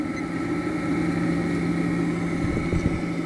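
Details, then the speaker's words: Vintage 1 hp Westinghouse machine tool motor, rated 220 V but test-run on 120 V and drawing about 0.7 A. Steady hum with a faint rough rumble underneath and no knocking: tired, worn bearings, otherwise quiet. "Bearings sound like they're a little tired."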